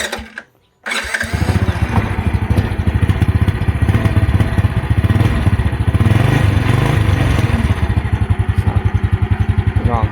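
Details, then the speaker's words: Honda Wave 100 electric-start single, starts easily even after long parking, no slipping, whine or smoke, battery good: starts first try then a quick, even putter with no misses or knocks; normal start and idle. "จอดนานๆก็สตาร์ทง่ายนะครับเรียบร้อยนะครับ"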